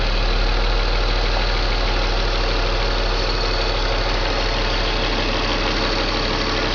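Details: BMW M54 325 cold idle: uneven low throb with irregular stumbles. Misfire logged in cylinders 3 and 5, sometimes 4, every morning. Crankcase valve, plugs, coils and fuel filter replaced, injectors cleaned. Misfire stops once coolant leaves the blue zone. Cause unconfirmed.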